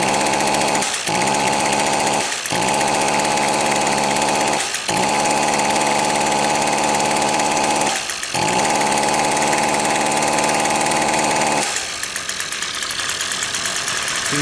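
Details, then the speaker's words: Two-stroke trimmer that won't rev: idles evenly and quietly, but every throttle stab stalls at the same muffled pitch; a plugged exhaust spark arrester screen is strongly suspected (a faulty ignition coil was the alternative suspect). "I ain't believing it. See how quiet that is? I'm going to try and throttle it up. I bet you it's got a plugged exhaust."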